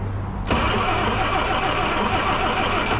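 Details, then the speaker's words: 1963 Plymouth Belvedere sitting since 1978, after battery and cleaned starter: cranking catches into rough, uneven run that struggles to hold, way too much fuel poured down the carb, choke applied. Flooded engine. "Oh, she wanted to do something. Oh, look at that, guys. She wants to fire now. Yeah. We put way too much fuel down there. Give it some choke."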